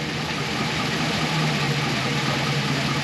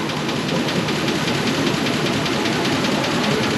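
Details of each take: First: 2004 Chevy Express 4.8 V8, warmed to full temperature after about 7-10 minutes: even low rumble at warm idle, lifter noise gone; lifter knock only when cold suggests failing lifters. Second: 2004 Chevy Express 4.8 V8 cold idle: fast light ticking over steady idle; hydraulic lifters with internal spring sticking when cold, oil pressure adequate, noise fades as temperature rises, gone after about 7–10 minutes.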